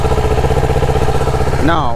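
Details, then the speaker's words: Motorcycle started by jump start after a dead battery; steady, even idle with firm low pulse, no misfires or stumbles; normal idle. "and then what you do you turn this bad boy on boom and the bike should start"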